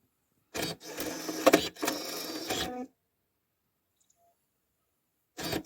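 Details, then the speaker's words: Rover 75 six-disc CD changer that jammed mid-change showing no magazine/no disc: short bursts of whirring and clicking as it loads and checks each disc, then quiet. Changer working normally, problem seemingly cured. "oh that's good it's making some noises as it goes in and finds the uh discs so hopefully we've cured the problem"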